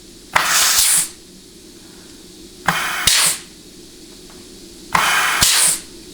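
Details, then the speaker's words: 4L80E rebuild, case air check of the forward clutch: three short sharp air blasts, each with a firm thump, showing a nice firm apply and release. "That's nice, firm apply and release."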